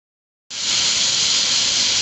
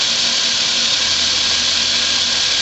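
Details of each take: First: 2004 Chrysler Pacifica 3.5L V6, 120,000 miles, misfire on cylinder 6: steady airy high-pitched hiss from a vacuum leak at the intake manifold runner control shaft, driver's side above the transmission, confirmed by smoke test. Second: 2004 Chrysler Pacifica 3.5L V6, 120,000 miles, after fixing an intake manifold runner control vacuum leak that caused a cylinder 6 misfire. Injector O-rings were on and fuel trims read about -2.5 long-term and +2.5 short-term. Steady, even idle with no hiss-leak, ticking or stumble.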